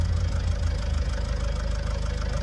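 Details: Vauxhall Vivaro/Opel 2.0 turbo diesel van at idle, owner suspects turbo failure and says it now sounds worse. Fast, steady low clatter with a loose rattling undertone at each firing; rattle at idle, cause unknown.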